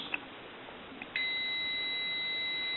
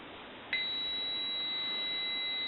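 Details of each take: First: AE Monophone rotary desk telephone, left receiver capsule checked with a meter reading 3.2 ohms, close to a dead short; after the probes touch a steady high continuity tone holds unbroken, so the capsule is bad. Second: AE Monophone rotary desk telephone, right receiver capsule checked with a meter reading 27.4–27.5 ohms, not quite a dead short; a clean, steady high beep starts as the leads touch and holds.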